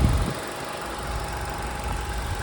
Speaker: silnik pracuje jak najbardziej prawidłowo cichutko równo